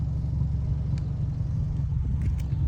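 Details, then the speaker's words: Older car idling after removing the clogged catalytic converter: deep, steady exhaust rumble with an even beat, strong exhaust flow felt at the tailpipe, nothing choking it; healthy, normal idle. "Yan, ang ganda ng yan yung buga ng exhaust niya. Malayo pa lang, feel na feel mo na yung niya, yung buga ng hangin punta doon sa palabas ng exhaust niya."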